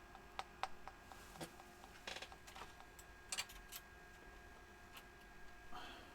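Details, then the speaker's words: DEC Multia UDB VX40 computer at power-on after reseating a power supply connector that had popped out: faint irregular ticks from the speaker in a quiet room, cause unclear. "Turn it on and let's see if anything happens. That's new. The speaker's ticking."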